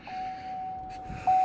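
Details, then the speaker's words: 2017 Chevy Silverado 1500 after fuel pump replacement, ignition turned to on: a steady thin whir for about a second, drops out, returns louder; new fuel pump priming normally, took a few ignition cycles before running. "So we're just gonna turn the car and put it in the on position. We hear the fuel pump priming down there."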